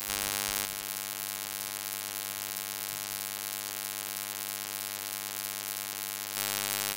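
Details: Steady electrical buzz over a low hum, unchanged throughout, in ShadowPlay-recorded audio; constant interference noise of unknown cause, owner asking how to fix it.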